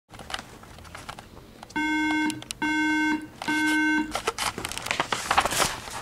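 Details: iMac making an odd noise: three steady mid-pitched beeps, each about half a second, evenly spaced in a quiet room; mouse and keyboard not responding and it would not shut down normally; cause unidentified.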